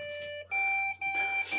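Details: Desktop PC powers on with no display: a shrill electronic beep sounding almost without pause, broken only by brief gaps, the long continuous pattern pointing to a memory (RAM) fault.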